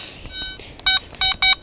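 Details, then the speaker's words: Garrett ATX pulse induction detector with stock 12x10" DD coil, switched on without ground balancing over hot iron ground: four short high-pitched beeps in quick succession; normal power-on sequence. "Firing it up. 4 beeps. Here we go."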